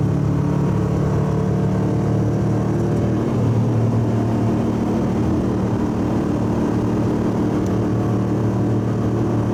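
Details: Subaru wagon, in-cabin on freeway at 100 km/h, 3,000–4,000 rpm under full load: deep steady droning boom from a fiberglass-packed X-Force straight-through muffler, before replacement with a Lukey Turbo muffler.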